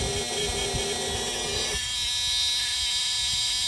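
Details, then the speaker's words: 2006 Peterbilt 379, CAT C15 MXS 650hp, after swapping in a replacement low air warning buzzer with air pressure near minimum: harsh, raspy, continuous electric buzz with a high whine on top. Buzzer works after repair, though the sound differs from the original. "Okay, moment of truth. Will I forever have a different sounding low air buzzer? Oh! Oh, that sounds disgusting!"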